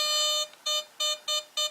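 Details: White's Surfmaster Dual Field PI pulse induction underwater metal detector: quick run of sharp, high, evenly spaced beeps about three a second with no hum behind; normal target detection signal.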